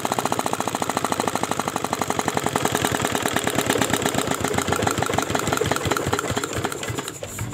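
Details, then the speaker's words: R175 single-cylinder diesel, previously disassembled by its owner, on a test run after reassembly: a lumpy, uneven chugging that surges and sags, hunting despite injector adjustment, then dies; air in the fuel is also suspected. "Nah sekarang kita akan coba tes hidupkan Ya seperti Apa hasilnya lihat sobat diesel ternyata gasnya tidak rata ya"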